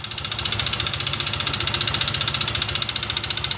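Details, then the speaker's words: Honda Vario Techno 125 FI with CVT fully removed, engine running: sharp, loud metallic knocking about 220 a minute over idle, rattly; suspected loose piston or worn connecting rod big end, engine teardown planned. "di antaranya bisa dari Seher yang udah longgar atau dari Setang Seher yang oblak ya nyaring sekali ya teman-teman"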